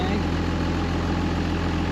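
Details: 2005 Ram 2500 diesel after replacing leaking fuel lines and FASS lift pump: steady, even clatter at a settled idle with no stumble or hunting; now pulling fuel from the tank, no leaks, idling normally.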